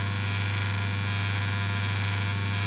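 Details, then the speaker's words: Old timber-cabinet spa: a loud, steady low buzz with a rough, rattly edge as cabinet boards and a vent vibrate from the running pump motor, whose motor and bearings have gotten old. The fix is finding the vibrating board. "you can tell it's definitely vibrating here there we go just a matter of finding the the board that's doing all the vibrating"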